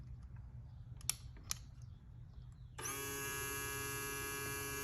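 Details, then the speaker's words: 2002 GM truck with replacement fuel pump whose connector had the pump power and low fuel light wires reversed, now corrected: after a few clicks a steady high electric whine starts and holds even; pump running properly. "the pump power is supposed to be the second one in and it turns out you can hear it run"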